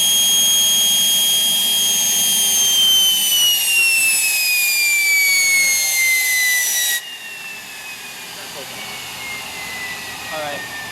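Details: Homemade turbocharger-based gas turbine jet engine burning propane, self-sustaining after start: high piercing turbine whine sliding steadily lower as the air is cut back, holding a stable roar; running normally.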